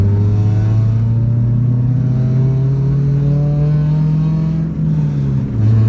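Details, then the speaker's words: 1994 Acura Integra at about 60 mph on highway, phone toward rear: loud, steady low droning hum over road noise from a worn rear hub assembly wheel bearing; hub replacement planned. "With this hub assembly and wheel bearing, you're just gonna hear it hum. That's all it's gonna do."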